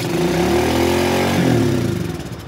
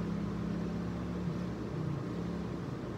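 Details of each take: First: Old carbureted dirt bike with carb idle adjustment screw tightened all the way in: catches and climbs straight to a fast high rev instead of settling; high idle from screw set too far in. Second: Old carbureted dirt bike after the idle adjustment screw was given a full turn: steady even low putter holding speed without stumbling or hunting; idle fixed, runs good.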